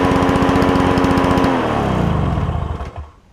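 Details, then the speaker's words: Toro push mower with a two-stroke engine believed Suzuki-made, after carburetor cleaning: crisp, rapid, even two-stroke buzz like a marine outboard, then winds down smoothly at shutoff; healthy running. "he's reading on the forums it sounds like a marine outboard as opposed to a lawnmower doesn't it but cool sound cool sound"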